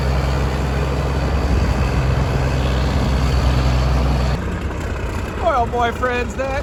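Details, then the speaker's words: Versatile 895 tractor diesel after its first service in years, turbo clamp refitted: deep, steady idle with even low thrum, no knocks or misses, no extra noise inside the cab; normal idle. "But I love it. That sounds great. I'll take that. It doesn't make a It doesn't make any more noise inside the cab."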